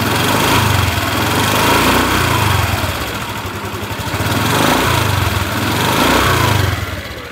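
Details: 2021 Honda New Vario 150 FI, heavily used (likely online ojek) scooter: engine runs coarse and uneven with light tick and wavering throb; workshop suspects worn internal engine parts from active use, not confirmed.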